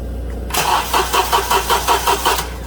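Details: 2007 Honda Accord 2.4L four-cylinder DOHC, slow crank complaint, cold battery that passed load test, good alternator output and ground voltage drops within spec: about seven slow, labored cranking pulses over two seconds without firing; starter was replaced.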